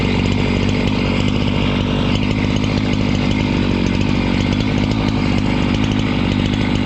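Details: Husqvarna 268 two-stroke chainsaw, which stalled once warm and would not restart, cutting after air intake check: a strong, even snarl through the cut with no stumbling or stalling. Normal running under load.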